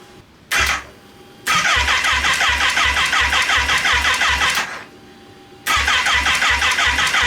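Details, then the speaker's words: Kawasaki Ninja H2 engine from a wrecked bike, bought on eBay: quick steady starter chatter at about three beats a second in two bursts, spinning freely but never firing. No spark; the engine logs nine error codes, some from unplugged sensors. "it is not okay let me spend who knows how much time figuring out why it's not getting a spark"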